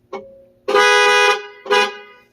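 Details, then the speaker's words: Cadillac STS fitted with a custom CTS-V wheel on an NRG short hub and quick release, battery reconnected, horn wires (black and peach-orange) found at the clock spring: short toot, longer blast of about a second, another toot; clear steady horn note, circuit works. "this black wire and i believe this is like a peach like a peach orange color these are the hornworms"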